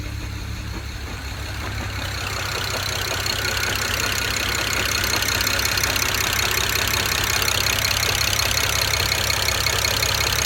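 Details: 2008 BMW 135i with the N54 engine idling on five cylinders: shaky, lumpy idle with a loud hiss on top. A bad cylinder 6 injector caused the misfire and made the car nearly undrivable.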